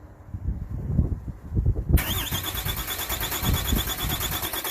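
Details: 2007 Dodge Ram 2500HD 6.7 diesel automatic, no-start diagnosis while probing the transmission range sensor circuit; low thumps then steady hissy cranking that never catches, starter turns engine over but it won't fire; cause not confirmed.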